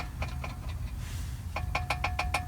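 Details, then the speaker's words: Mercedes 300D diesel after center muffler removal (glass pack only): low steady idle with sharp metallic rattles about five per second; exhaust vibration from a missing exhaust hanger bushing and bolt. "I guess in doing all this messing with the exhaust, this bushing and bolt has come out."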